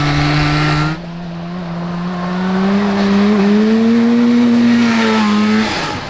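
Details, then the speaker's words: Kawasaki 440cc two-stroke snowmobile-engine go kart at wide-open throttle: engine screams up and holds high, slowly climbing revs with no real pull, reaching 42.6 mph; CVT belt slipping. "So you hear the RPMs, Oh yeah, it's loud. but it's not doing anything. Oh. It's like just going wide open throttle, and It's it's not slipping. accelerating, it's just slipping."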